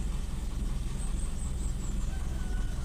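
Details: Toyota Kijang Super, morning start with idle rpm raised so it starts in two cranks instead of long hard cranking: low, steady rumble at a fairly brisk, even idle, no stumbling; normal idle.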